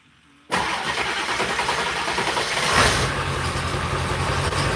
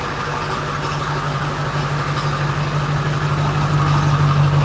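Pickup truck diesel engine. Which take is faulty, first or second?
first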